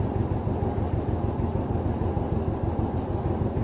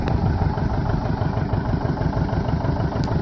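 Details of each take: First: Vintage John Deere 720 two-cylinder diesel tractor after head gasket repair: slow, regular thumping about three beats a second, picking up near the end; running evenly. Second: Vintage John Deere 720 two-cylinder diesel after head gasket repair, idling: loud thump with faint irregular tick about three times a second; owner thinks he hears a broken push rod or cam ticking, unconfirmed; not leaking, temperature fine.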